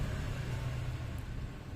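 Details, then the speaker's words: Fan (kipas angin) motor after pressing in a new 608 bearing, running on power: low even hum with no rattle, ticking or grinding; quiet, steady run, bearing fitted precisely. "Nah, ini bisa kedengeran di sini ya bang, tuh untuk hasilnya. Alhamdulillah ini cakep, dia nggak bunyi sama sekali"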